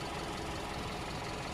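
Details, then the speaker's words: 2017 Hyundai Tucson 4x4 idling during a used-car inspection, listened to for knocking or ticking. A quiet, even idle with a soft steady hum and no knocks or misses. The engine sounds smooth and normal despite any odd-sounding audio. "in this case although um with the audio it could sound like there's something weird the engine sounds very smooth and normal"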